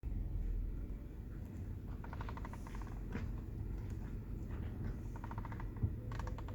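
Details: 2010 Mazda3: short bursts of fast light clicking coming and going from the steering wheel over a low steady cabin rumble.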